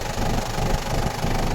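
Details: Toyota Granvia 1KZ-TE diesel at steady low idle after a no-start fault was fixed through wiring work and a replaced part in the computer box; even rumble, no misses, no check engine light, running cleanly.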